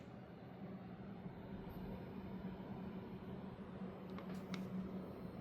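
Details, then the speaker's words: MSI MPG EZ120 ARGB 120 mm PWM fan (0–1900 RPM, fluid dynamic bearing) newly installed in a PC and controlled via the MSI app: soft, steady low hum with no ticking, rattle or buzz, unlike the noisy previous fan; running quietly. "Okay, there is no annoying noise like which is I had on the previous fan."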